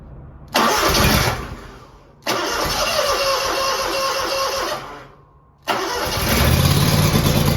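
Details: Scag V-Ride II 52-inch mower, first cold start of 2025 after sitting since October 2024, oil and hydro checked, tank of fuel: engine catches, fades after a second or two, restarts twice, then settles into steady idle; normal cold start.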